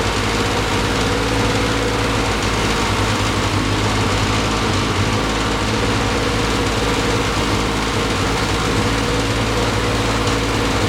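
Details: 1973 Triumph TR6 restoration, first start in 2 years: fast, slightly uneven idle with steady drone and faint unsteady beat; rough running, owner thinks ignition too far advanced, also hears clicking.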